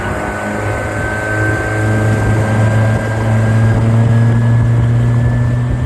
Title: 90 Suzuki had a bad injector caused power loss. All fixed now with a new injector. #suzukioutboards